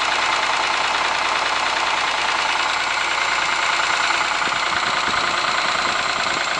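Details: Ford Sierra engine at even idle with a fairly regular light knock, roughly three per second, throughout; cause unknown.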